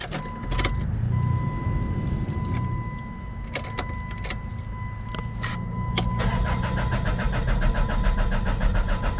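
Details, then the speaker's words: Stranded car with dead battery on a jump pack, check engine light on: warning chime and clicks, then starter cranks about four times a second without starting and no fuel pump prime whine; bad fuel pump suspected. "Okay, I'm gonna plug my, I don't hear that fuel pump, but I'm gonna plug my scan tool up to it while it has this check engine light on."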